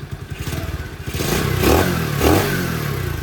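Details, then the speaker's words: CT70 clone with Nibbi carburetor after richer pilot jet, not fully warmed up, idle around 1,200 rpm: putters unevenly, then two quick clean revs dropping back without stumbling; no bog. "no bog. I like it."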